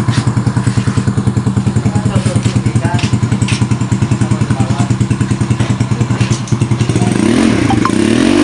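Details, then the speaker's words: Yamaha Mio Soul 115 scooter after restoration (new oil seal, regulator, switch, rewiring, body panels): even regular thumping at idle, picks up cleanly on a short rev, no clatter or rattles; runs without much noise. "So yan po, naandar na po siya mga ka-idol. So wala na po siya masyadong naingay."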